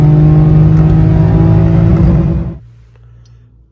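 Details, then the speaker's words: Citroen C1 city car with a repaired exhaust and removable DB killer baffle taken out: loud, deep booming drone from the tailpipe under throttle, then dropping away; unmuffled exhaust, much louder and deeper inside the car. "inside the car it's a lot louder it's a bit lot deeper and a lot more drawn it"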